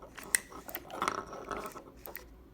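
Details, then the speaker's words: 2005–2009 Cadillac STS front exterior door handle with newly installed micro switches: a few light, crisp clicks as the handle is pulled in a quiet cabin; the micro switches work normally and the lever is in the correct position. "hear the micro switches clicking and the lever is in the correct position"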